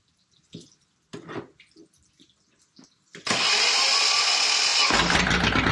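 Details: Volvo Penta 2002 diesel from a 1987 Liberty Yachts Pied Piper 28 sailboat, after repair: clicks and clunks, then catches and settles into steady even clatter while warming up; normal running.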